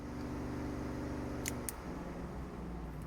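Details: 1981 Corvette with overheating issue, newly wired electric radiator fan on a remote switch: steady low whooshing hum of the fan spinning evenly with a couple of light clicks; fan running normally.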